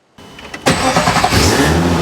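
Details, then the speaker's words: Ferrari-engined Alfa Romeo 105, started for the first time after a nasty engine failure and repair, with oil pressure built and compression present: a quick crank catches cleanly, flares briefly and settles into a steady, even idle with no valve clatter. "Yes! We are running! It works! I didn't kill it!"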